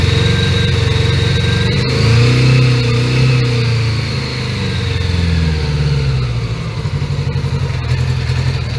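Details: 1980 Honda Gold Wing GL1100 flat-four, carbs overhauled, warming from cold (about 3°C) at raised idle: lumpy, uneven beat rising and sagging, dropping pulses; intermittent miss, owner suspects carbs out of sync.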